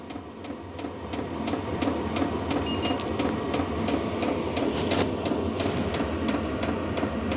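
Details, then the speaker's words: VEVOR diesel heater with about 5-litre fuel tank, restarted in a 9 °C workshop: a light regular pump tick two or three times a second over a steady fan whoosh, output air reaching about 20 degrees, quite noisy; normal running. "So there's obviously some heat coming out of it now. It's quite noisy."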